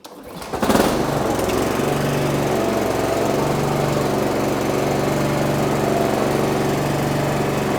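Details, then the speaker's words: Honda GCV190 lawnmower engine after service: new Denso W20EPR-U spark plug, air filter and 10W30 oil. It catches and settles into a steady, even buzz at throttle with no misses or knocks; runs healthy. "Sounds good to me. Hey, that sounds good to me. That's great. I'll just give it another rev up to make sure it wasn't a fluke."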